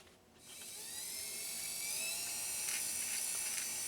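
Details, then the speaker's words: Restored Pfaff 130-6 sewing machine, fitted with a non-original motor, winding a partly filled bobbin. Smooth, high-pitched motor hum that climbs a little as it spins up, with no knocks or grinding: normal bobbin winding. "We're going to be watching that thread fill up on the bobbin so we can finish these sew-offs, right?"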